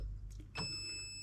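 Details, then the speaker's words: Perun V2/V3 hybrid airsoft MOSFET entering programming mode via a dual flick of the fire selector (semi–auto): a click, then a steady high-pitched electronic beep that holds while an LED flashes green inside the rifle. "Now you can probably hear, hopefully, that is now beeping, and I don't know how well you're going to see it, but a lot of rifles will allow you to see in the gap."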